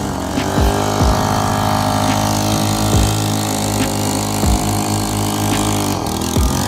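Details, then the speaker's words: Generac CW10K gas water pump, small engine: runs steadily but stumbles briefly about every second, an intermittent hiccup; ran fine the day before, fuel good, cause unknown. "i was running good yesterday but today little hiccups i don't know what's up with that"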